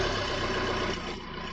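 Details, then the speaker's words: 2012 Maruti Suzuki Swift Dzire diesel VDI after replacing an ECM damaged by a short in the wiring or a sensor, which had stopped it starting: it starts and settles into a short, even diesel idle with a steady low rumble and no misses; normal idle. "So friends, you can see our car started."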